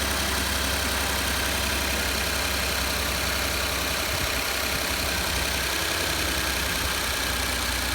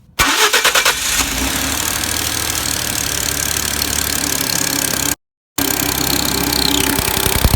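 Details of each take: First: 2012 Ford F-150 XLT 3.5L twin-turbo EcoBoost, about 64,000 miles, cold idle after exhaust manifold gasket repair: steady even idle, only light quick injector ticking, no exhaust puffing or tapping; sounds much cleaner than before. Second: 2012 Ford F-150 XLT 3.5L twin-turbo EcoBoost, about 64,000 miles, before repair, cold start: fast sharp ticking over idle; bad knocking from passenger side on startup and chirping on acceleration, identified as exhaust manifold gasket leak.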